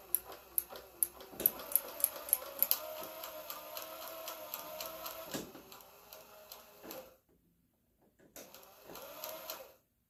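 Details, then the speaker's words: 1967 Chevelle wiper motor: light steady whir with soft ticking as the blades sweep, even and unlaboured, parks; wiper motor running normally. "all right well the wiper runs"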